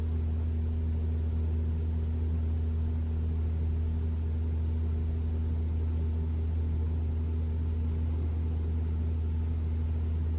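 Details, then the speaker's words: 2021 Toyota RAV4 Prime SE started in EV mode at 49°F, heater Auto high, AC off, checking for intermittent loud heat pump noise; low even hum with faint steady tone, no horn-like blare: normal heat pump hum. "all right nothing I can hear the humming of the heat pump but it didn't make the loud noise"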